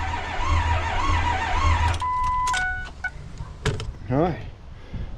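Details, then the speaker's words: 2004 Ford F250 Super Duty 6.0 Powerstroke diesel after head gaskets, studs, a turbo rebuild and a new oil cooler, fresh oil in and fuel pump not yet hooked up: about two seconds of strong even cranking with no firing, priming oil; normal cranking. "Let's get in here and uh turn it over a few times and uh see how that goes."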